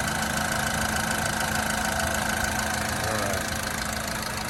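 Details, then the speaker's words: 2000 Honda Civic VP at 114,000 miles, timing belt done, steady even idle with a light quick sewing-machine patter, no knocks or misses; normal idle. "but listen to it run sounds like a little sewing machine like a good honda should"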